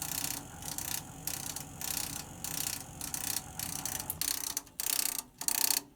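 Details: Navien CR-A 240 tankless gas water heater installed 2010, drained and filters cleaned: repeated sharp clicking about 1.5 per second over a steady hiss, apparently from the inlet flow adapter/flow adjustment valve pipe; cause not confirmed.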